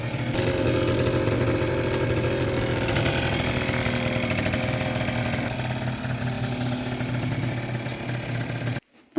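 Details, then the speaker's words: Kymco 50cc scooter with Koso variator, 8 g rollers, main jet raised 82 to 86: runs unevenly, stumbling, mid-range dead then suddenly pulls; fuel/carburetor suspected, later owner suspects cracked block leaking. "The scooter runs very unevenly. The mid-range doesn't work. Doesn't seem to be working. But suddenly it gets gas and it pulls away. So something's wrong with the fuel or carburetor or something."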